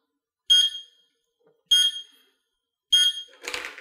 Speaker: this slower kind of a heartbeat alarm code is telling us something else easy one to miss it's telling us that the device is still plugged into the wall